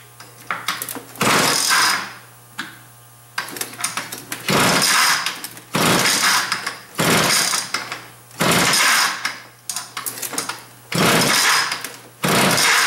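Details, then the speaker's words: Small engine on a stand at first run surges in loud bursts about every second and a half, dropping off between them; rough, uneven running, sounds like it needs a carburetor adjustment. "sounds like it needs a little bit of a carburetor adjustment there"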